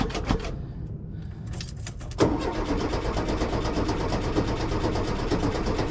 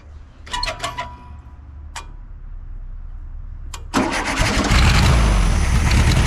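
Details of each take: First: 1973 VW Super Beetle that died while driving: strong, steady starter cranking about two turns a second with no catch; battery good, aftermarket Brazil-made fuel pump not pumping. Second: 1973 VW Super Beetle with the clogged fuel filter removed: a few short cranks and pops, then it catches and settles into a steady, even idle; the fuel pump delivers well, so the filter was the fault.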